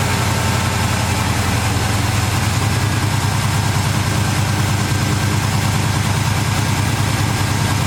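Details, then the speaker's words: V8 with Holley carburetor, just restarted after swapping the power valve in the metering block: steady, deep burble idling at about 1200–1300 rpm instead of the normal 900; high idle, owner unsure whether the power valve is the cause. "Seems like the idle is up a little high now. It's normally about 900, now it's about 12 or 1300, so I'm not sure if that's because of the power valve or what's going on there"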